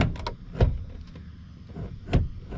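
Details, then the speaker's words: 1st gen Cummins crew cab truck passenger door: dull clunk and scrape on opening as the latch sits down on the striker pin, and it must be slammed to shut; door latch dragging from a sagging door. "So you can hear there, as you open it, it's just the latch is sitting down on the striker pin. And to close it, you really have to slam it."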